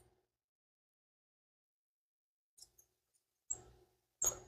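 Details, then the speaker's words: Yamaha IT175K dirt bike, front wheel bearing spun by hand with the wheel off: faint high chirps and squeaks, pointing to a worn wheel bearing; owner considers replacing the front bearings. "Didn't sound too bueno. Maybe bearings are cheap, so maybe I should just go ahead and put wheel bearings in the front too. It spun fine, but that one did not sound very good. It was chirping."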